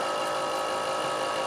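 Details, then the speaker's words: Truck FASS fuel lift pump in extremely cold weather gives a steady electric hum that keeps running a long time without building fuel pressure or priming; the cause is unknown. "so the issue i'm having is that this is what the pump sounds like [Music] it'll sound like this for quite some time and you'll actually hear it get suctioned"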